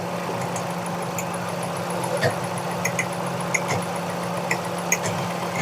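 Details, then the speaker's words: Car with recurring missing and jerking that plug cleaning only briefly fixed: uneven idle with irregular stumble about every second, cylinders dropping out; misfire from head gasket blown between two cylinders, leaking compression. "पीछे ले आए इधर ले, ये आवाज़ करीब करें, गाड़ी में फायर कर रही है आवाज़। तो इसको चेक करते हैं कि इसके अंदर अभी मसला क्या है।"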